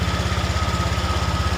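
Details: Honda Vario 125 LED scooter that previously would not electric-start, fault traced to ignition switch wiring: now starts and holds a steady, even putter at idle with regular low pulses and faint constant whine; healthy.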